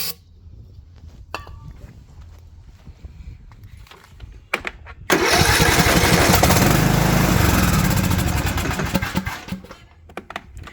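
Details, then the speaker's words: Craftsman riding mower, Briggs & Stratton Intek engine: quiet cranking, then it catches on starting fluid, roars about four seconds and dies. This points to no fuel delivery through the silent fuel shut-off solenoid, which is to be replaced (part 846639). "so you can see starts up Burns off the start starting fluid and then dies again so I'm going to go ahead and assume that we need to change this solenoid right here"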